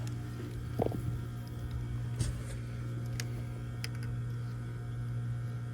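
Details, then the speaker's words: Trane package heat pump on no-heat call, 240 V confirmed at blower: only steady low electrical hum, no fan whoosh or airflow, handling clicks; blower and condenser fans not running, suspected bad fan motor, possibly capacitor. "Getting 240 to our blower, but now it sounds like our condenser fan motor's not running either."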